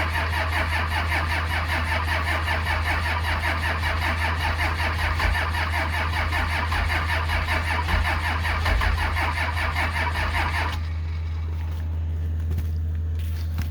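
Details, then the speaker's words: 1949 Chevy COE pickup with 12-valve Cummins turbo diesel, no preheater, sitting months in snow at about minus five degrees: steady fast cranking about 2.5 pulses per second with faint catches and soot; won't start yet, cold suspected. "uh well she's firing a little bit so there's a chance look at all that soot and give it a minute here to let that starter cool down"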